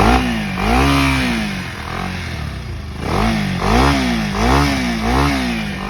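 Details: Bajaj Pulsar NS 200 motorcycle, final check after fixing an engine noise problem: repeated throttle blips, revs climbing and falling smoothly with a clean exhaust note and no knocking or rattle.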